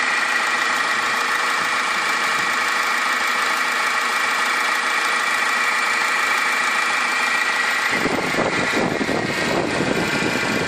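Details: 2010 Toyota Yaris 1.4 D-4D diesel, 40,000 miles, at idle: a constant high-pitched whir from the alternator/tensioner/water pump area that persisted after a new alternator; belt tensioner suspected next, cause unconfirmed.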